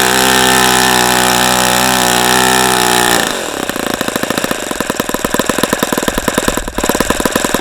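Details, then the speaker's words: ASP FS65 glow engine, 29°F cold day, 5% nitro, APC 12x6 prop, OS F plug, started with lighter fluid: steady high-pitched scream then fast even popping idle around four beats a second; runs cleanly. "okay so that was a that was a good run once we got the engine started but this engine took a lot a lot hang on damn it took a lot of this rosinol lighter fluid to get going"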